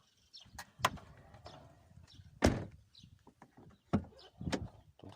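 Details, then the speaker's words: Lada Kalina car door opening with only dull clicks and thumps from the door check straps and no squeak, after the check strap was generously greased with a lubricant mixture. "уже скрипа нету легче стало открываться такого скрипа нет я щелчки ограничители да но такого сильного скрипа уже нету"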